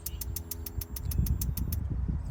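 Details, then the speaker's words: Weber E-310 natural gas grill, new aftermarket igniter module with battery fitted, tested before installation by pressing the button: sharp even ticks about seven per second for under two seconds; igniter sparking normally, wires fine. "So I hear the spark. You can also look for the spark on each burner."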